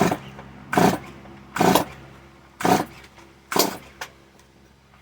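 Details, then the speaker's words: Stihl MS 170 chainsaw, four pulls each giving a short rasping burst that dies at once; won't keep running. Owner suspects too much fuel and a wet spark plug, possibly needing cleaning again. "maybe it's too much gas that i put there maybe that's what it is and the spa po got wet again maybe if i clean it again but it sounds good it looks good it looks promising"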